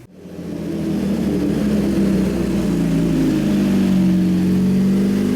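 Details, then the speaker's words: 2017 Suzuki GSX-R1000 sportbike, ride-by-wire, after ECU flash adding 4.4 degrees ignition timing; test ride under varying load listening for knock, also checked with stethoscope. Smooth steady pull, engine note climbing under load, no pinging or rattle; normal running, no detonation. "but we had the ability to change the load, and you could hear the engine being loaded down. I didn't hear any signs of pinging"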